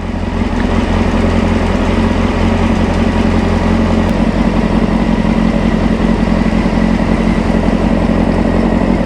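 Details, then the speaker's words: 1995 Honda CBR600F inline four, warmed up after sitting a very long time: a smooth, even idle with a steady low burble and no ticks, misses or hunting; runs nice and quiet, healthy. "ride well there you have it that runs really nice it's nice and quiet"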